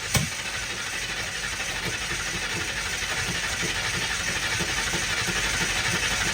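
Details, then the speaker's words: 1960 Ford F100 shop truck, first start in years, carburetted, open header; starter turns it over in an even, quick chugging rhythm for several seconds but it never catches; owner suspects stuck float, jets found clogged. "Maybe the float's stuck and it's not all right. The float stuck."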